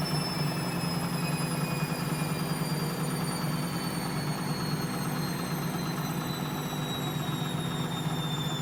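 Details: Bosch WFL246SGB/01 washing machine on an Easy Care 40° test wash, high-speed spin: smooth low drum hum with a faint, slowly drifting motor whine, no rumble or knocking; spin bearings healthy.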